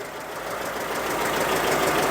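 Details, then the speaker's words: Citroën GSA on dyno above 3,200 rpm with new alternator, belt tension set deliberately loose: fast light clatter over hard-running engine; intermittent knocking noise, loose alternator belt suspected, not confirmed. "that's a more like that way a light don't get a light we should investigate oh that's not a nice noise again"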